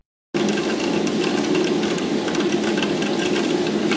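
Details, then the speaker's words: Boiler-room primary heating circuit restarted after opening for a pump change and purging: steady rushing hiss with fine irregular crackle as trapped air bubbles pass through the TA balancing valve. Air in heating circuit passing through balancing valve. "ça c'est le bruit qu'on entend là le bruit qu'on entend c'est de l'UR qui passe dans la dans la vanne là je suis en deémarrer le chauffage on l'entend bien l'air qui passe et ça fait du bruit"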